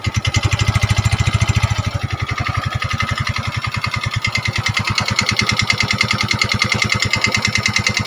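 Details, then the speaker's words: Yamaha Mio 125 automatic scooter: harsh, clattery idle with uneven noisy firing and heavy mechanical rattle after a recent block/piston replacement; still smokes and burns oil (a week's oil nearly gone), worn piston rings and rocker arm seats. "jadi suara kasar dan biasanya ini penyakit umum atau sering terjadi pada Motors yang sejenis ini atau yang yang jenis Yamaha 125 ya guys"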